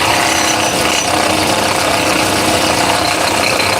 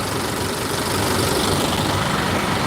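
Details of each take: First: 2017 Honda Accord petrol engine at idle: a loud, steady ratcheting clatter from a faulty alternator decoupler pulley (clutch), which only rattles sometimes; fix is replacing the pulley. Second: 2017 Honda Accord after replacing rattling alternator decoupler pulley clutch: steady even idle with smooth low hum, no rattle or chatter from front of engine; normal idle, noise gone.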